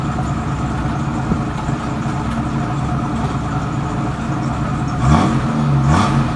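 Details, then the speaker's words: 1967 Mustang V8 with new Pertronix electronic ignition, first start after sitting a week on a cold roughly 57°F day: rumbling idle, then two quick clean blips without stumbling; runs and revs normally. "yeah that's what it sounds like I mean I might put a different exhaust on it but runs good for not being running a week I tell you that"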